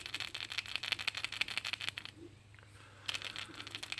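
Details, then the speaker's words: New replacement PCV valve for a Lincoln LS 3.0L V6 shaken by hand: free, bright clicking rattle showing a healthy, unstuck valve, unlike the old one, which hung up and made a hose collapse. "let me just shake this one I didn't think it was rattling enough now listen to this"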